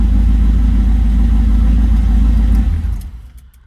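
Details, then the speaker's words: 1978 Trans Am SE with LSX/LS6 V8 and FiTech EFI, first start with oil pressure showing: deep, steady rumble with an even lope for two and a half seconds before shutoff; smooth, healthy idle. "That's amazing. It started. It sounds good. I think it's alive."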